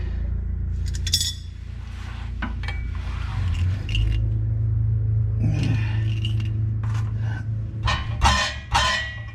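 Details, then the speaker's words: 2001-2005 second-gen Honda CR-V exhaust during O2 sensor and resonator replacement (P0135 code): irregular metallic clinks and scrapes as the pipe is shaken; half the heat shield is gone, something loose suspected inside the resonator. "Oh, if you can hear that, there's something really loose in here. I think I'm gonna pull the exhaust apart."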